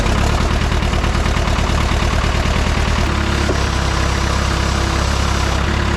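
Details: John Deere 450 bulldozer diesel after cold start: deep, steady rumble with an even beat, no knocks or misses, idle holds smooth; healthy running engine.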